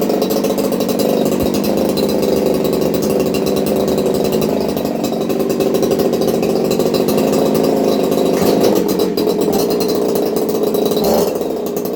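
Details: Craftsman 2.8 (Poulan 295/4620) two-stroke chainsaw with modified muffler (baffle and screen removed, 5/8-inch-bore tube welded in), recorded on phone audio: steady, even drone with a clean note, no misses or rattles; normal running.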